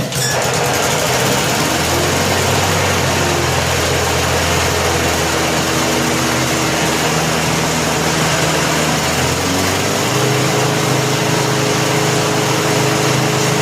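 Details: 1988 Snapper 21" self-propelled rear-bagger mower, 4 HP Wisconsin Robin (Subaru) engine, after new rope starter, service and tune-up, started unchoked: smooth even steady buzz with a couple of clean speed changes; running healthy.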